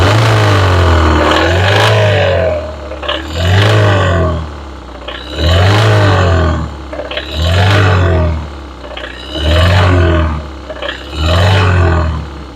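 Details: Engine with a rattle, revved repeatedly during a cylinder-by-cylinder disconnect test: a rough clatter swells on each rev and sounds unchanged with each cylinder cut. A knocking rod bearing is suspected. Rod knock.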